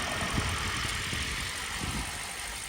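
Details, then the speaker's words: Toyota Prius V hybrid cold start: engine took a minute to crank up and needed some gas, then settles into an even, low idle hum with no knocking, ticking or misfire; sounds good. "Takes a minute for a hybrid to crank up. I actually had to give it gas. Right. They gauge the motor. Yeah. Sounds good."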